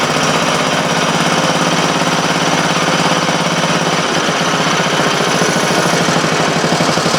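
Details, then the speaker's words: Briggs & Stratton Model A single-cylinder engine, one of three of four revived, run on a temporary gas tank after broken intake manifold work; a fast, steady, even beat with no misses or stumbles. Normal running. "okay so I got three of the four model age running not sure what the next projects gonna be"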